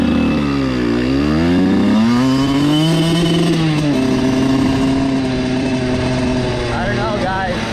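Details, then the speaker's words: Dirt bike after attempting wheelies: the engine pitch climbs and sags unevenly, surging instead of holding steady revs; running rough, and owner suspects the carburetor or overheating, not confirmed. "i don't know that doesn't sound good all right i do not know what's going on but that hasn't happened to me before"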